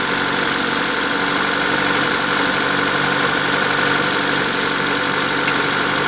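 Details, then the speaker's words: Turbocharged Honda D16Z6 with 55-trim turbo, engine only 3,800 miles, at idle: steady rushing hiss with soft puffing about four times a second; really bad crankcase blowby, piston rings suspected, compression test not yet done. "haven't been able to do a compression test yet hopefully I can do it tomorrow but it's got really bad Blow by"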